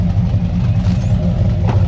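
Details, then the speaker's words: 6.0L LY6 swapped, BTR-cammed Silverado idling after adding a resonator to the patched exhaust; deep, mellow rumble with steady cam chop, quieter and no longer obnoxious, healthy. "Our little hacked together exhaust sounds so good. It's got a nice deep rumble. You still hear the cam, but it's not obnoxious anymore."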